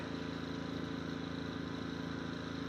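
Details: Westinghouse iGen2500 inverter generator, owned 9 years, idling in economy mode, heard from about 20 steps away. Faint, steady low hum with an even beat and no surging or misses; normal idle.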